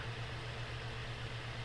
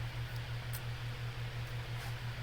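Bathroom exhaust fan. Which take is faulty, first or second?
first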